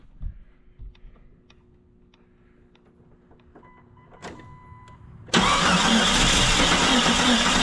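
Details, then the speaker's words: 1999 Jeep Cherokee XJ 4.0, sold as needing an engine and earlier cranking as if it had no compression. With the cap, wires and plugs refitted it catches and idles busily with a slightly uneven beat. Rough running; a possible miss is suspected. "it's a runner it's a runner it sounds like it's got a Miss but it's definitely a runner"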